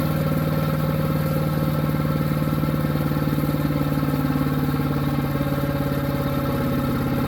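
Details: New Harbor Freight Predator 212 chipper shredder engine that only ran on choke, after fix, started with choke then eased to half: steady even beat, no hunting or surging; runs normally now.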